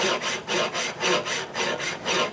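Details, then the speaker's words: Knew Concepts guided saw (Compact Marquetry / Precision Die Saw), bearings correctly adjusted: even back-and-forth sliding whoosh, about four strokes a second, balls barely audible — smooth normal bearing slide, what good sounds like. "You know, it sounds smooth. You can kind of maybe hear the balls a little, but not much. It's just a smooth sliding noise. That's what you're looking for."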